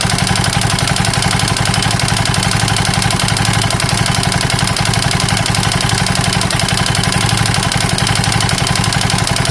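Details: KTM 640 LC4 at a rough idle with a hard, evenly spaced clatter on every beat, about four per second. A bad engine knock; the owner is unsure whether it is top end or bottom end.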